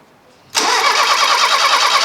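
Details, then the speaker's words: Fiat Uno Turbo stored 16 years, first start attempt, engine turns by hand: starter spins at a steady even rhythm with good compression pulses, but it never catches; cranks, no start. "it looks like compression so that's one good thing it doesn't sound like it wants to go does it"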